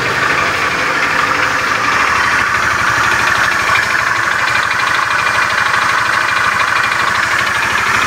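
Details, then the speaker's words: Honda Beat FI scooter idling with a rough, rapid klotok-klotok knock in time with the engine; workshop mechanic suspects a worn, damaged connecting rod, not confirmed. "suara kasar yang seperti ini itu disebabkan dari stang sehernya yang sudah mengalami keausan dan sudah mengalami kerusakan jadi suaranya kasar klotok-klotok seperti itu ya teman-teman"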